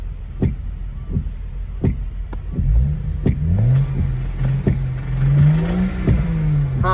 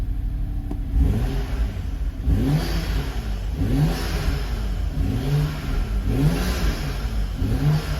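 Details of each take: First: Knocking inside the engine of a 2011 BMW 335xi E90 M Sport, 6-speed manual, auction car with possible flood history; revs rise and fall while sharp, uneven knocks punch through about once a second; internal engine knock, cause not yet found. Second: 2011 BMW 335xi E90 M Sport 6-speed auction car with about 35,000 miles and a clean engine bay: repeated clean throttle blips, revs rising and falling smoothly with no knock or rattle; normal, healthy revving.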